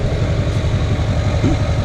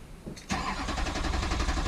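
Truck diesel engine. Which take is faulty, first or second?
second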